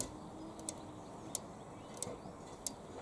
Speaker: it releases the break on the flywheel but it also releases this little switch here and you can hear it clicking